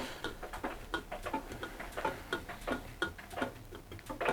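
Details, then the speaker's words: Hotpoint NSWM 1043C inverter-motor 10 kg washing machine, few years old, street find, during rinse: irregular light ticks and creaks, one or two a second, ticking on both sides; most clunking from hose hitting the glass, source of ticking unclear. "most of the noise is what I was going to say was most of the noise is coming from that hose clunking off the glass but it's ticking on both sides"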